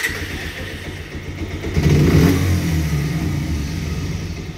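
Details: Bajaj Pulsar 125 DTSI at idle: light, uneven tick-tick ticking from the engine over a low thrum, present since purchase and unresolved by servicing within 3 months; engine ticking at idle.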